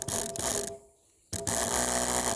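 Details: Small spray rig pump on an ATV, wired through the battery and powered by a quick-connect test; a steady motor hum with a faint whir between mechanical clatter, running normally.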